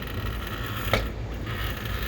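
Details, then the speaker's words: Large format printer x-axis carriage pushed by hand: one distinct click at a single spot along the run, from a damaged place in the drive belt. "there's an audible click and you can you can hear it but what's happening is in the back back here"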